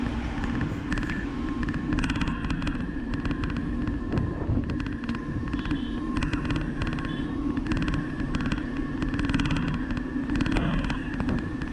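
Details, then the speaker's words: DIY 500W TSDZ2 mid-drive e-bike riding in rain: water bottle on the fork cage shifted against the front tire, giving a steady low humming rub over road and wind noise. "the water bottle uh uh shifted a bit and it uh moved it close to the tire the front tire and uh it started that numbing sound"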